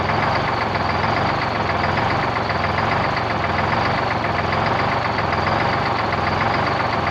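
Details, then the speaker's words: 1973 Peterbilt 352 cabover with a 12V71 Detroit Diesel, first run since 1984: loud, steady idle clatter with a slight lope about once a second, seemingly one cylinder in particular; cause not confirmed, with good fuel and oil pressure and the alternator charging. "a little bit of wall it's like one cylinder in particular"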